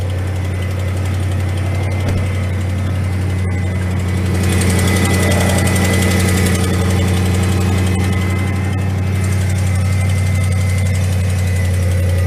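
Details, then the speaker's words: 2006 Chevy 1500 4.8L Vortec V8, 180,000 miles: steady idle with a light tick about four times a second; exhaust leak, which the owner suspects comes from broken exhaust manifold bolts. "as y'all can hear it's got a bit of exhaust leak but it drives good shifts good the steering's good and tight"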